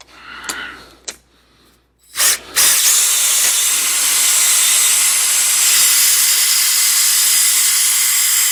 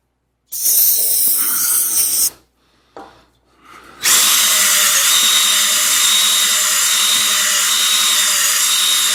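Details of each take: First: DIY rigid hone in a worn, tapered engine cylinder bore: steady high drill whine with hiss that slows and labours at the bottom of each stroke, drawing more in the tighter tapered section; before crosshatching. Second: Drill-driven rigid DIY cylinder hone removing bore taper before re-ring: after a short start and stop, a steady, even high whir with consistent tone and speed up and down the bore; taper now gone, honing smooth and even.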